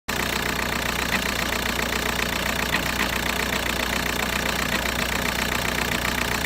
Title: VW Bora 1.9 TDI ARL - engine shaking with strange sound